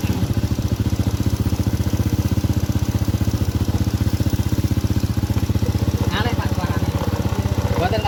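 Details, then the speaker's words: Honda Supra-series carburetted single-cylinder motorcycle, carburettor just refitted: quick, even idle about four beats a second with a dry, thin note; idle mixture too lean, next step adjusting the needle (jarum panjang). "Nah, kiritan ini namanya kiritan ya, Teman-teman. Terlalu irit."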